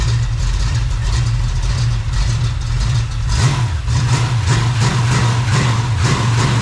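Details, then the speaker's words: Freshly rebuilt small-block Chevy 350 (roughly 355) on its first run, not yet warm (under 120, about 69 lb oil pressure): a smooth, even, deep burble at idle around 750 rpm with no misses or knocks. Normal idle. "oh yeah oil pressure dude look at that fantastic idling in about 750"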